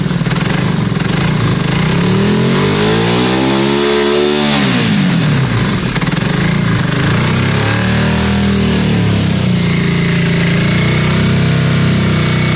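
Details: Yamaha Virago V-twin just started after exhaust swap and carb clean, blipped up and down: lumpy, uneven beat between revs; front cylinder stone cold while rear is warm, suspected not firing, a dead-cylinder misfire.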